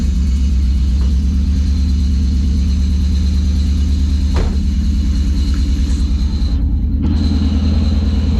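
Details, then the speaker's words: 1990 Honda CRX Si, first start after a DOHC ZC engine swap, old engine possibly 25–30 years old: low, uneven, loping rough idle under a faint high squeak; the squeak's cause is unknown and the engine is still cleaning up. "It's a little rough running, but it's running. I'm not sure what the squeak is still, I have no idea."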